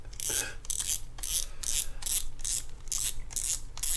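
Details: Shimano Stradic C5000XGL spinning reel: light ratcheting clicks in bursts, once per handle turn, while cranking. Not the clicker; a warped rotor is rubbing as it spins.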